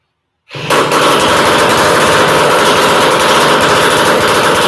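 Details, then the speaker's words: Horizontal Minarelli two-stroke engine, which kicked right off, running with no expansion chamber fitted yet (an '85 stock pipe is planned): a loud, harsh, rapid crackling rattle with a raspy edge through the open exhaust. "I don't have an expansion chamber on it yet, but I got a Hi."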